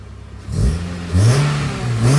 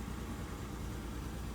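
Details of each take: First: Honda Civic two-door: clean free revs rising and falling with deep intake growl, no rattles or misfires; a little smoky, running really rich, sounds good, normal revving. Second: Lowered daily driver on coilovers, stock except high-flow cat, about 118,000 on the clock: low uneven idle with lumpy stumbling beat and vibration; misfire at idle, check engine light gone, cause not yet known.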